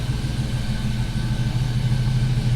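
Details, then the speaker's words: GMC Sierra, 4.3 swapped to 5.3 V8, warm idle after new tune from tuner for earlier misfires: deep steady idle with slight lope, mild setup, even and smooth, no misses or knocks. "The camera never really does it justice as far as the way it sounds. You can hear a little bit of the low. Like I said, nothing crazy. I didn't want anything crazy."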